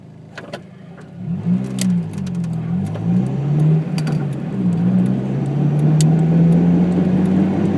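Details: While driving, a low "go-go-go" droning rumble pulses steadily about four beats a second over road noise, most obvious when decelerating; worn wheel hub bearing.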